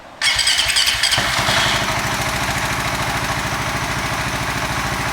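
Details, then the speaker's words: FU 150 fuel-injected motorcycle with an aftermarket Ataka ECU said to start more easily than an Apitech: catches almost at once after a brief crank, then settles into a steady, even idle with no stumbling; clean normal start. "Startnya lebih mudah, nggak kayak Abiteh asli."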